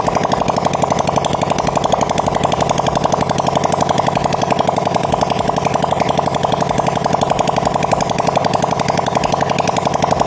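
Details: Supra Fit motorcycle after engine rebuild for white smoke and rough sound, running with open pipe before exhaust refitted, revs raised: fast, even rapping beat with no knocks or misses; normal running.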